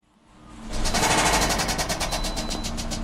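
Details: 2009 Pontiac Vibe 2.4 engine before engine replacement: revs up, then a quick steady rapping runs through the note as it settles; deep rod knock.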